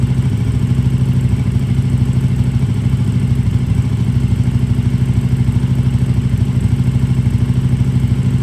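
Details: KTM RC8R with a swapped 2020+ third-gen 1290 Super Duke engine and electronics, first start after the swap: even, steady low pulsing at a settled idle, no misses, knocks or rattles; normal idle.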